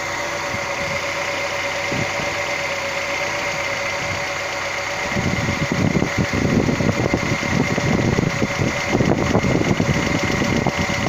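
Steady idle with a light, quick ticking around three per second riding on top, clattering louder after a few seconds: lifters tapping.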